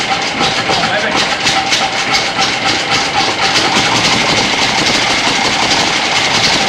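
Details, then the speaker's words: 1930s Ford Model A, revived after sitting over 20 years, started with the foot starter button; a quick, slightly uneven popping beat with lots of hiss and no deep rumble; the old engine fires and runs fairly cleanly. "right so well that's progress she sounded pretty good actually"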